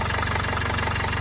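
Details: Jaguar XF 2.0L diesel just started after turbo and DPF replacement, topped up with oil, no exhaust leaks found; steady, even diesel clatter at idle with a regular pulse, no hiss, puffing or rattle, healthy idle.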